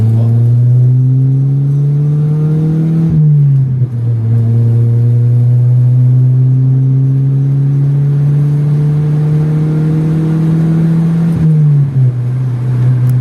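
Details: Chevrolet Vectra after fixing heavy misfiring, hard acceleration demo on a night drive: strong, clean pull, pitch climbing smoothly through two hard revs and a gear change, no misfires; normal acceleration.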